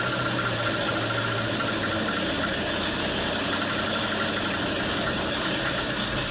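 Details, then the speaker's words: 1968 Ford Torino FE 390 with an Edelbrock top-end kit, first start after teardown: loud, rough uneven running like a dead cylinder. Owner suspects a valve held open. "know y something's not right yeah and it sounds like it's got a dead hole like maybe we've got a valve that's being held open"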